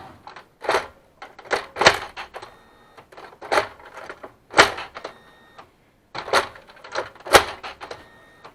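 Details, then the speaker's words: Kyocera M2040DN document feeder after squeak/whistle fix, reassembled and restarted: irregular paper-feed clacks and roller whirs with quiet gaps, no squeal or whistle; normal feeder operation, function unaffected. "Все, сверчков, естественно, нет, то есть он просто не сможет этого делать. Больше никогда в жизни."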